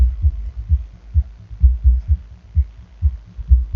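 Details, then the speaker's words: Bass Habit SE5100.1DF car audio amplifier after repair of a burnt power-supply section: deep bass thumps at an uneven, slow pace, clean with no crackle or distortion; the amplifier is working normally again. "Bon, on a tous entendu que ça faisait du boum boum. Bon, ben ça va bien."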